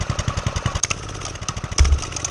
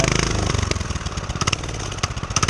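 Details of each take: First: Homemade single-cylinder pit bike with DIY turbo, warmed up, choke off, no throttle: steady even thumping at low idle while the turbo spins; normal warm idle. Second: Homemade turbo pit bike, warmed up, idling with no throttle and turbo spinning: small single pops, then the beat stumbles and sags unevenly like fuel starvation; owner suspects it ran out of gas.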